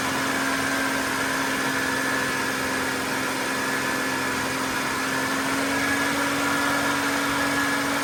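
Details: GM 3.8 liter (3800) engine after new water pump, raised speed to purge air from coolant, temperature normal: smooth, even constant hum with no ticking or knocking; healthy running.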